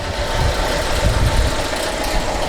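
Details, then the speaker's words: Chevrolet Captiva petrol engine, owner complains it is very weak with very low idle; mic placed near the engine, loud idle rumble with heavy mechanical clatter, engine light on, cause undiagnosed. "ouviram microfone aqui só pra vocês captar melhor barulho que está nesse caso a captiva eu virei e falei marina atualmente deu pra vocês pegarem o barulho muito alto"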